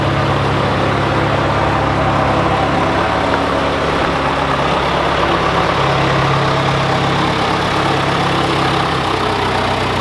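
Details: John Deere 410C backhoe diesel in winter cold: a deep, even rumble at steady speed with no knocking or stumbling; healthy idle.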